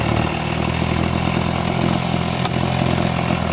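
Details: Echo handheld two-stroke blower that had been down on power, after fixes (carb adjustment or carbon cleared from a clogged exhaust port), hose fitted: loud, even buzz holding steady revs with strong airflow, running clean.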